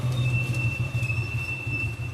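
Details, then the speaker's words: Rear drum brake on a bike grinding metal on metal with a low, coarse rumble and thin ring, like a stopping train. Cause is the stopper, not the shoes or hub; the fix is loosening the brake rod and servicing the 14 mm stopper bolt. "உங்க வீட்ல அந்த metal மட்டும் break button மாதிரி காலே ஒரு மாதிரி train நிக்கற sound மாதிரி கேக்கும். கொரன்னு."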